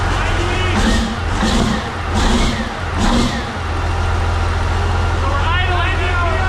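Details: CAT 3412 twin-turbo diesel from a 992D wheel loader on a test stand, cold and warming up, about 30 psi fuel pressure, thick oil: deep steady rumble with an even beat, no misses or knocks; healthy.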